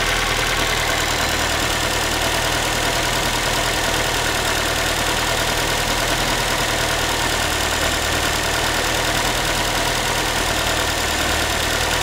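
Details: Ford Focus 3, 1.6 engine (125 hp), idle after a cold start: a thin, tinny, loose and irregular metallic chatter sits over the engine hum. The owner is asking what it is, and the source is not pinned down.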